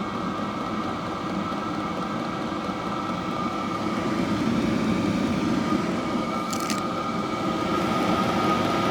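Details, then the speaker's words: Diesel heater bought cheaply on eBay, bench-tested in a workshop that started at about 11 degrees: loud, steady jet-like roar with an even whine on top and no sputtering or pulsing. Normal full burn, throwing out lots of heat. "there's a lot coming through but it's loud isn't it really loud"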